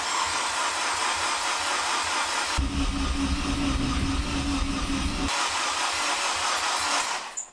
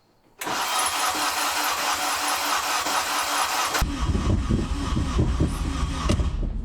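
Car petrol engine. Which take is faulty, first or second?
second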